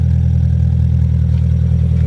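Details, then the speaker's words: 1994 Mazda Miata with 140,000 miles in poor shape: loud, deep, raspy idle rumble lacking a muffled tone. There is an exhaust hole bigger than a fist. "what else there's a hug huge exhaust bigger than my fist for"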